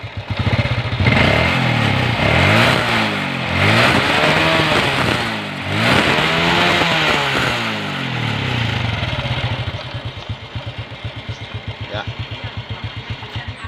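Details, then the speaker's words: Honda Revo motorcycle after its carburetor was air-cleaned, spark plug renewed and air screw set to 1.5 turns; it previously sputtered and wouldn't rev freely. Clean throttle blips rising and falling smoothly, then an even idle: normal revving. "mantap teman-teman ya, kita udah gas tadi, suaranya nggak berebet kayak tadi ya."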